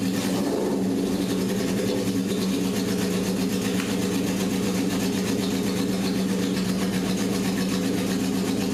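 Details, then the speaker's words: 1978 Honda CB750K barn find after engine rebuild, first successful start on choke after setting idle mixture screws to 1.5 turns, compression confirmed: steady, even four-cylinder beat at constant speed with no misses or knocks; normal running. "If that engine didn't start, yeah, I'm in big trouble. But it did. We had compression. It started."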